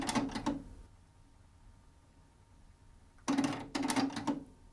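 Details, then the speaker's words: Pioneer CT-W604RS twin cassette deck (1994–1996), deck A with tape inserted: two short bursts of clicks and clunks with quiet between as the transport tries to play in both directions, auto-reversing without getting anywhere; fast forward and rewind also fail; weak worn belts. "and when we pop in a tape it attempts to play in both directions"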